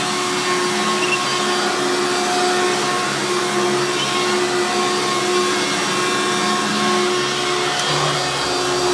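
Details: Hoover Runabout Deluxe U5064-930 upright vacuum (2000), motor rebuilt after dry, seized bearings; loud, steady high-pitched scream at even pitch, no grinding or rattle: normal running after rebuild.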